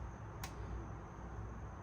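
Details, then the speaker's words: Fuel injector bench-tested with 12 volts from a battery maintainer: one sharp, clean click as it is pulsed, solenoid opening properly; injectors good, so a connection issue is suspected; normal injector click. "it works. So that one works. And this one works. So we know the fuel injectors are good."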